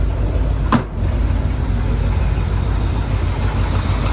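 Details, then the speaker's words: 1972 Ford F-100 XLT Ranger, sat 15 years, jury-rigged ignition, repaired plugs, fuel bypassed: deep steady V8 idle rumble, one brief early click, otherwise smooth and even; running well. "that's pretty good so it's running i think you can hear that"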